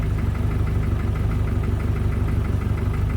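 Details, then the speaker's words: Volvo 740 sleeper with forged bottom end, running again after a blown head gasket: hollow rhythmic knocking about three times a second over the idle, steady and unchanging; piston slap. "okay um we still got the crazy piston slap you guys know why you probably know why"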